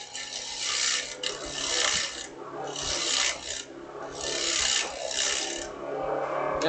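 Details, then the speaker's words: Wood lathe turning a square oriental-style box: rhythmic rasping scrape of the tool on spinning wood, swelling about once a second, with a lighter, hollower ring showing the wall is getting thin. "I can tell I'm getting thin right through here just by the sound of the tool and the sound of the wood"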